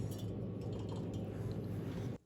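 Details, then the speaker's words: Sub-Zero refrigerator condenser fan motor (under the freezer by the compressor), removed and spun: rough gritty grinding with clinking from a chewed-up bearing; previously squealing, barking; to be replaced with a universal condenser fan motor. "here's our noisy fan you can just hear that so it must have chewed up a bearing inside and that's what just causing that that really bad grinding"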